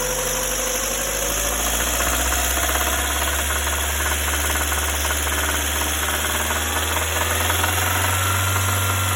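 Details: Lada Granta at idle: steady idle with a light, uneven tapping at about idle speed, a deep knock from inside the engine identified as crankshaft knock. Engine knock at idle.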